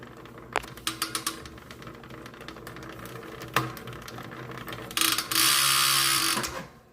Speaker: Pretty normal, but all right, as you can hear, it's pretty quiet.